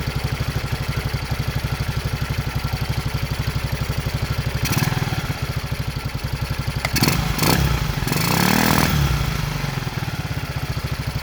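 Even, steady thumping idle at about four beats a second with a few brief revs; the single runs smoothly and sounds healthy.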